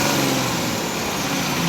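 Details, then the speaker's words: Tata BS4 diesel with a new rail pressure sensor, signal 1.5 V at idle and 3.5 V at full rev. The engine holds a steady, even roar at high revs with no hunting, misfire or knock. High-rev running is normal. "ये 3.5 volt गया था full race करने पे।"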